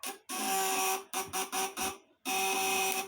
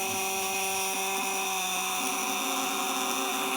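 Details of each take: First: 200 W vibrator inverter (platina contacts) tested under lamp load: harsh high buzz in short stop-start bursts, cutting in and out; the contact setting is still too loose. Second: 200 W vibrator inverter (platina contacts, 12 V battery) with the contacts tightened: steady, even high buzz under full lamp load; 200 W is its maximum, and tightening further gives no more power.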